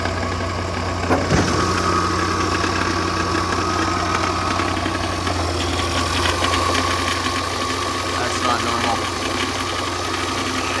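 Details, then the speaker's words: 2011 Land Rover LR4 bought at auction, cold start at idle: a busy, steady metallic rattle rides over the engine note. The owner believes it is the timing chain; a fuel problem is also noted. Engine rattle at idle. "can still hear it I'll get out of the car whenever we get back and you can listen to it again but whenever you're driving like right now it's actually quiet so I would say it's definitely at a timing chain"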